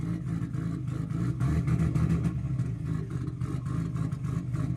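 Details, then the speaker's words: MK4 Toyota Supra 2JZ running very rich despite new sensors and a swapped ECU, with non-factory red injectors: lumpy, wavering idle that the owner thinks may be a cam; unsure whether misfire or dumping fuel, suspects a sensor. "So, as you can see, the engine does run, and it runs pretty well, but we are having some issue. I'm not sure if it's a misfire, or if it's dumping fuel."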